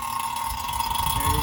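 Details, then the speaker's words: Vacuum pump evacuating a 2011 Kia Soul A/C system through a manifold set on the low and high sides: an even, steady mid-pitched drone over a low churning rumble with no surging; running normally. "Okay, so currently I have a vacuum pump running."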